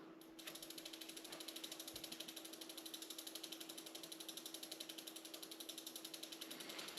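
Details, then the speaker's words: 1990 Raleigh Trail hybrid bike with Reynolds 501 frame, near-mint and barely used, all-original parts, rear wheel coasting while bearings are checked: crisp, even clicking of about four per second, running extremely smooth; normal freewheel ratchet. "she running extremely smooth."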